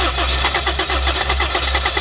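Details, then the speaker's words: Toyota Corolla with newly fitted gas kit, morning cold-start problem, check engine light on: starter cranks at an even, quick four to five compression pulses a second but never catches; injector pulse, coil power and fuel pressure found fine; crank no start. "तो गाड़ी जो है start यह देख रहे हैं यह गाड़ी स्टार्ट नहीं हुई"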